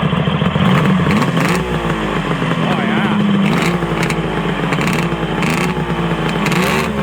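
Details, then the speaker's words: Arctic Cat ZRT 600 two-stroke triple snowmobile after its plug boot was refitted: a busy, buzzy idle and even throttle blips with no misfire or stumble; the pump works and it runs as it should. "i'd say that pump works just fine sounds like a triple well i guess now that it seems to be running the way it should be"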